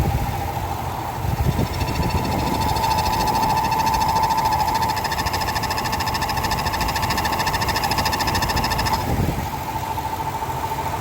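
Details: Ford F150 5.0L V8 idling with a light metallic rattle of three or four ticks a second and a squeaky ring: exhaust pipe heat shield rattling and squeaking.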